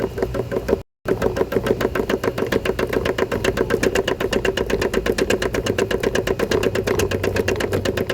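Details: Electrolux LPE17 washing machine running: rapid uneven clattering knocks about four a second over the drum; suspension noise, worn suspension suspected, not confirmed.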